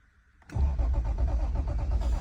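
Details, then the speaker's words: 1989 Toyota Supra Turbo (MK3) with fresh 93 octane and Seafoam, fuel pump audible, about nine volts: the starter cranks at a steady even beat for about two seconds but it never fires; crank, no start, no spark. "all right guys let's try to troubleshoot this I get no spark"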